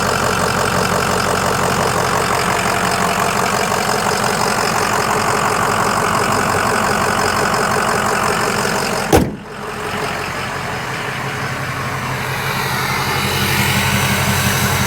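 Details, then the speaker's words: 2005 Ford Excursion 6.0L Powerstroke diesel, 186,898 miles, new injectors and turbo, EGR delete, heard at idle close under the open hood: steady, even diesel clatter with no miss or knock; normal healthy idle. "Let you hear it idle. Sounds great. Like a healthy 6o."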